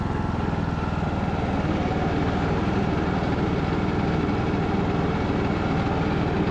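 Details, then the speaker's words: Craftsman LT2000 riding mower, revived after sitting a couple of years, reversing up a hill in the rain: the single-cylinder engine pulls steady and even, with no whine or slipping, so the hydrostatic drive is normal under load. "Sweet. I don't hear anything crazy going on with the drive system, and it seems like it's going pretty good speed there."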